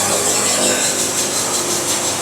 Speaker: Music in the sawmill. I hope y'all can hear that blade singing. It sure sounds cool.